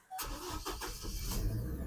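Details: 2006 Chevy Colorado right after the Passlock key-learn procedure for an intermittent crank-no-start: short crank, engine catches cleanly and settles into a steady idle; starts normally, expected to fix the problem.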